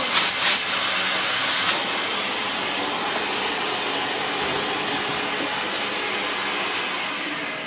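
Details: Toshiba VCP-700S bagless vacuum cleaner, possibly 1980s/90s, missing parts of pole and floor head: a couple of switch clicks, then a strong even high-pitched whoosh holding steady; motor spinning freely, normal run.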